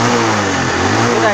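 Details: Honda Wave 110i fuel-injected, previously no-start, after new genuine fuel pump fitted; short burst of even running with steady smooth note, no misses or hesitation, running healthy.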